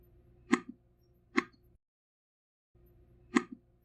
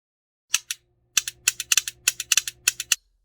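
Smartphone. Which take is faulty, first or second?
second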